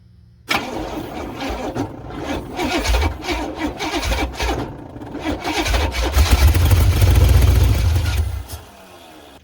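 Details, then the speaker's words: 1986 Silverado C10 with a Vortec 350 swap and TH350, cranking before first start: the starter drags unevenly, briefly acting like it locks up, then spins on. Owner suspects the torque converter bolts; unconfirmed. "It's turning over, but then it acts like it wants to lock up for a moment and then it turns over."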